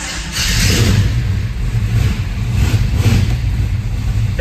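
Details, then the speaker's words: 1970 Chevelle with built 454 big-block (512 casting block): deep loping V8 rumble swelling with light throttle blips and settling evenly, no misses or knocks; runs and sounds good. "The car runs good. It's got a hellacious built engine in it. It sounds good."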